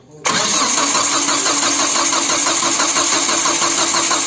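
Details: Rebuilt Nissan KA24DE engine, first cranking with the fuel injection and distributor disconnected to build oil pressure: steady, even starter churn with no firing. Normal priming crank without starting.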